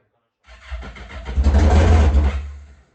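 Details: Yamaha GP1200R converted to a GP1800R, first start with the new engine, speedo cluster not installed: catches after a brief crank into a deep, loud, steady unmuffled rumble. A healthy first start; the fuel line was not yet installed.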